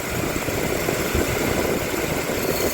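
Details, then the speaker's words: Daikin rooftop unit condenser with both compressor stages running: fan spinning fast with a steady loud whirring rumble and gritty edge, indicating wear that needs adjustment; a refrigerant circuit is also suspected low. "Now, that's actually spinning a lot faster than what it looks like it's spinning. And it's spinning the other direction too. But you hear that shit. Listen, you hear? This needs to be adjusted."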